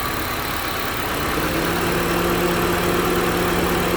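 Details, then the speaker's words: 2012 Honda CR-V 2.4 idling after replacing a noisy-bearing alternator (LIN-bus controlled charging): smooth even hum with no whine, knock or tick, charging normally; normal idle. "now it's charging just fine but it must have been just because of a warm battery so we're going to shift this one let it go seems to be working just fine now"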